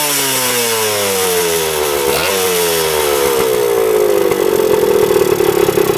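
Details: 1977 Kawasaki KE100 two-stroke enduro, revived after 10 years parked, no air filter: buzz climbs smoothly in pitch and revs out cleanly without stumbling or cutting out; pulls freely to high revs.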